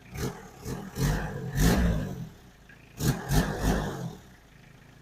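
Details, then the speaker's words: 1992 Toyota Townace diesel camper after timing belt replacement: revs blip up cleanly in short bursts and settle smoothly, no knocks or rattles; healthy engine, job successful. "Okay, I think we did it. No weird sounds."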